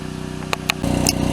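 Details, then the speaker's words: RV generator's small engine chugs with a fast, even pulse and sharp rattles over it, a harsh, rough noise from the generator drive; owner suspects a slipping belt that needs tightening, not confirmed; abnormal generator noise. "I hear a horrid noise it sounds like my belt is slipping on my generator so I got to tighten"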